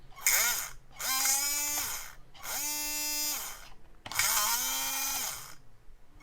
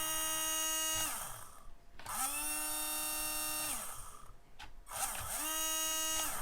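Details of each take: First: HBX Rampage 1/18 4WD brushed RC monster truck, drivetrain just freed of a jammed pebble and disassembled: three short bursts of whine rising and falling with a gritty edge; motor works but still sounds rough, cleaning planned. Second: HBX Rampage 1/18 4WD brushed RC monster truck after debris blown out with compressed air and a few drops of oil in the motor: steady high whine in short smooth bursts; sounds much better.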